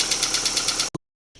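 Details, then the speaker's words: Daewoo Lanos at idle after restart, following replacement of a fallen-out oil-gallery plug that starved the hydraulic lifters of oil: fast, light metallic ticking about nine times a second remains; worn, scored rockers found on the camshaft. "ну власне отак після запуску стало трохи тихіше наче отут заглохли але тут тарабані треба скривать дивитись що там з роспредвалом"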